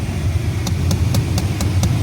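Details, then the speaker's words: 1996 Chevy Silverado C1500 2WD, with the AC switched on at idle; crisp regular clicks about four a second from a small box behind the dash, owner suspects a failed blend door actuator motor; clicking with AC on. "you give this clicking that's clicking right there we'll be coming from there it is maybe it was me the whole clucks right up there it's that little box right there it's your Blin door"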